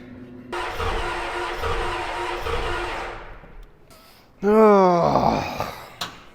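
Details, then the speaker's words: 1990 Ford F350 7.3 IDI diesel, sat 6 years, repeated start attempts: starter churns with even, labored compression beat, nearly catches but doesn't; crank no-start, air bubbles in fuel and old varnished fuel, owner suspects timing. "all right it really sounded like it was trying there for a second"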